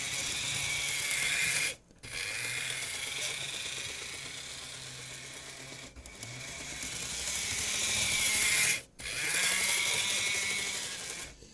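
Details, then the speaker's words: Graham Farish Class 50 loco with a Poole-type chassis and cracked axle gears; small motor whirs with a high squeal that comes and goes, inconsistent and mostly fine at low speed, from drive-shaft chatter rubbing the bearing block. "so it's quite hard because they're in uh the squeal's an inconsistent um symptom and at slow speeds it's kind of okay"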